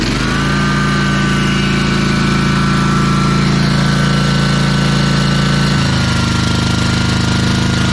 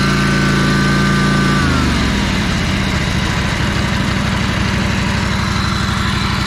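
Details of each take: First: Ferris 52-inch commercial walk-behind hydro mower, twin-cylinder engine, after carb cleaning and bowl O-ring replacement (bad O-ring was blocking a fuel jet): steady, even drone through load shifts, no stumbling or surging; now running smoothly. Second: Ferris 52-inch walk-behind hydro mower with a twin-cylinder engine, after fixing a spark plug fault: revs fall, then settle into a lumpy, uneven beat, still smoking and lacking power under load. The cause was a bad carb O-ring blocking a fuel jet.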